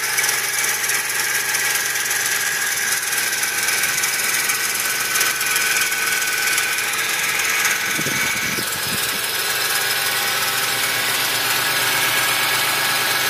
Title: My 2004 Toyota Tacoma V6 is making a strange noise